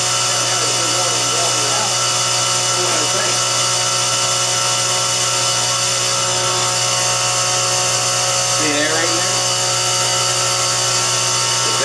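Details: Well pump after the water-logged tank was drained and its micronizer (aerator), clogged with plastic bits, was cleaned: steady electric hum with constant high whine, running a normal long cycle of about a minute, uninterrupted.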